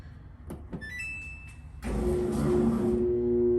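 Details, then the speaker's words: Samsung dryer: after a few button clicks, a steady electric hum with a click but the drum doesn't turn; motor stalled by something stuck in the blower, or a failing motor. "Okay, so you hear that humming? And it clicked, okay? So, two things. It's either something stuck where the blower is, or the motor is going bad."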